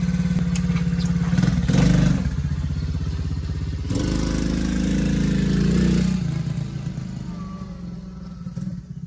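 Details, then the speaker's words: TAO 110cc ATV after swap to a brand-new engine with 10W-30 oil: even single-cylinder putter with clean throttle blips, no misses or knocks; running normally after repair. "Came in running bad, leaving running good with a brand new motor. Kind of hard to screw up putting in a new motor, but we got her in there and she's running like a top."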